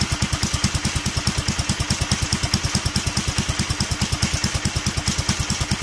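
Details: Duromax 18hp single-cylinder engine with an upgraded intake and air filter, after the idle screw was turned up and the choke opened with a little throttle: low idle thumping about eight beats a second, barely holding and close to stalling.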